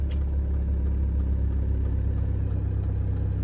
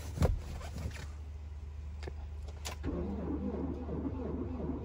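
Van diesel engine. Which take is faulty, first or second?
second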